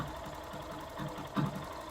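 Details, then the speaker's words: Factor 150 motorcycle, earlier with a loud bearing-like roar from the lower engine, now idles evenly with a soft steady patter and no knock or rattle after repair, unchanged with the plug disconnected. "a moto continua sem fazer aquele barulho beleza e aí pode ver que não altera motor rodando"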